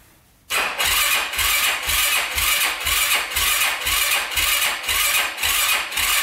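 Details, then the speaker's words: 2005 Yamaha YFZ450 big-bore single, first start after rebuild: catches after slow cranking, then surges and sags about twice a second, ragged and near stalling; pipe glows red and coolant boils, owner suspects running very lean. Cause unconfirmed. "yeah baby sounds like it's gonna die let's see"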